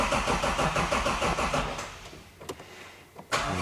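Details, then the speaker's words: Toyota GX81 Mark II with 2JZ ITB engine, first start attempt: even starter cranking at about three turns a second that dies away with no firing; crank angle sensor unplugged and injectors off, cranking only to build oil pressure. "I've already dropped the I've already dropped off the crank anchor sensor, so it can't start."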